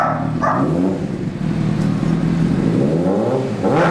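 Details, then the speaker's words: 2003 Honda CBR600RR fitted with a 2006 replacement engine (2,300 miles) after a spun rod bearing, plus Power Commander and K&N air filter; first run on a cold night, even idle picking up cleanly on blips, no knocks or rattles, dog barking nearby; healthy. "How does it run, Vinny? How does it run? Did it run good? Like butter. Like butter."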